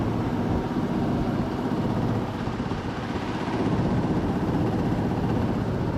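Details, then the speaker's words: Jeep Cherokee 4.0 first run after rebuild and reinstall, fuel rail O-rings replaced; rough loud running with loose uneven rattle; last two bellhousing transmission bolts not yet installed. "It was making a weird noise, which freaked us out. We thought it was something bad, but we didn't put the last two. These last two transmission bolts, the E12, because we broke the vent tube from the back."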